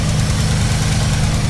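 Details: 1984 Dodge Ram W250 carbureted V8 after fuel pump, filter, hose and carburetor replacement; low steady idle with light quick ticking on top, sounds like valve tick but is an exhaust leak under the exhaust manifold.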